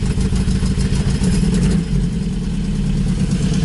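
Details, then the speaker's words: 1986 Toyota pickup, manual, about 160,000 miles, with a brand-new carburetor, started after pumping the gas pedal twice: a deep, steady, even idle with a loud low rumble from an exhaust stack behind the cab and no misses or knocks; healthy. "so i believe to start it what we want to do is put the key in and turn it so everything's on pump the gas pedal twice and then turn it it fires right up"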